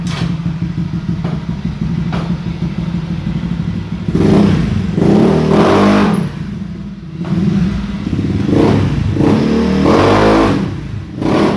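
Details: Honda Beat new fuel-injected scooter after idle adjustment; idle, then crisp repeated throttle blips that rise and fall cleanly without hesitation. No longer sluggish, normal revving.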